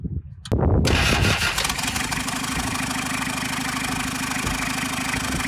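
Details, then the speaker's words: Toyota LN106 Hilux turbo diesel, first start after full rebuild with new head gasket: catches after a short crank, settles into a loud, rough idle with hiss on top; loud exhaust and turbo noise because the dump pipe is off. "There we go. Now we're just going to watch the coolant level. It's pretty noisy because we don't have a jump"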